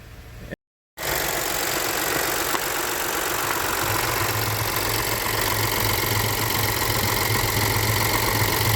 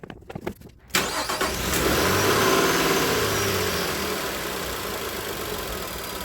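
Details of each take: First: High-pressure fuel pump engine right after a second diesel engine flush, with oil well overfilled: a smooth, settled idle with a low hum and no misses. It runs fine during a one-hour idle, though it later smoked and set a check-engine light. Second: Engine idling hot (209–210°F) after a second diesel oil-flush and fresh 5W30, with an oil consumption problem; slightly loping, rhythmic idle attributed to fuel trims readjusting, check light on and smoky; lumpy idle.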